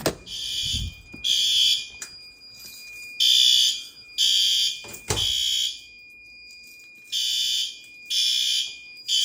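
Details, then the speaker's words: Monthly night-time fire alarm system test: fixed-temperature heat detector activated, giving repeating shrill horn bursts about a second long with brief gaps over a steady high tone; sounders set to low volume from high; full alarm. "these sometimes are a little bit of a jump scare try not to activate the fixed temp [Music] and I just got my notification my text message at the fireline system went off"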